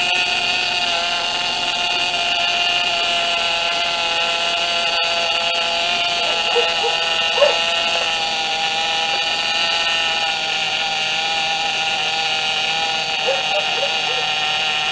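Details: 2007 Pontiac G6 started after replacing the leaking high-pressure power steering hose from rack to pump: steady high-pitched whine over the engine from a lot of air in the fluid, not low; system still needs bleeding.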